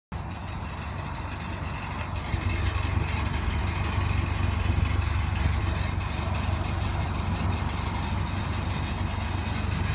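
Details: Nissan NV200 compact van idling: deep steady drone with a loose, irregular rattle running from the exhaust toward the front; owner can't determine the cause.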